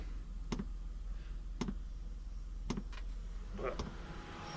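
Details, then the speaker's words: JP diesel hob dosing pump mounted under the driver's seat of a Fiat Ducato campervan, with the hob fan on full. A soft, regular tick about once a second over a low hum; normal pump ticking that settled down. "you might be able to hear some ticking noise from the pump don't if you can hear it it's not too bad it settled down a bit"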